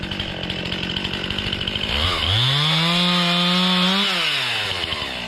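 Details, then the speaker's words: Stihl MS261 C chainsaw, warmed up, after tank-vent cleaning (vent suspected, not replaced) and the cap loosened: an uneven, stuttering idle, then it revs for about two seconds and sags back, bogging again once warm. "it's not a good sign looks like it's starting to do the same thing"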